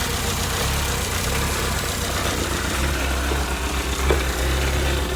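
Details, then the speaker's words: MK1 VW four-cylinder on first start after a valve adjustment and cam swap: smooth, settled idle with a steady beat and no valve tick or clatter. Night-and-day improvement, normal healthy idle. "Make sure nothing's too wonky, but I'm going to go right to starting it up. Night and day difference."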